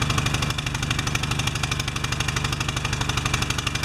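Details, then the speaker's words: Pressure washer engine with automatic choke, not started since last fall, after oil change, new air filter and unclogged bolt: uneven chugging about three beats a second, lumpy and rich-sounding; choke slow to release, bimetal strip later adjusted. "Okay. Now it should just start up. Come off choke on its own."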